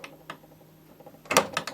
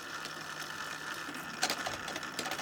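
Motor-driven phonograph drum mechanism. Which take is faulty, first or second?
first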